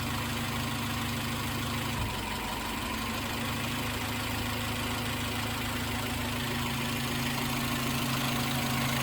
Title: Suzuki x90 misfire